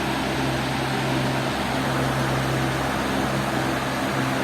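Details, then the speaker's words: Bajaj Tez Farrata stand fan on low speed, after replacing a faulty power wire and a bad capacitor: steady, even low hum with a smooth airy rush, no rattles or surging; fan running normally after repair. "ये लो में है तो हमारा fan okay हो गया।"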